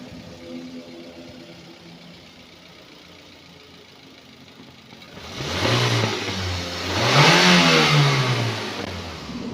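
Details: Used 2012 Daihatsu Gran Max 1.5 pickup with AC and power steering: quiet even idle then two smooth free revs rising and falling cleanly without misses or knocks; no white exhaust smoke, engine healthy.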